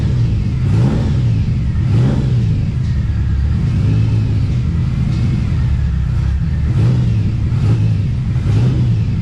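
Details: TVR Cerbera with rough running and random misfire: low rumble rising and dropping in uneven swells as revs hunt; owner considers disconnecting one of the two throttle position sensors.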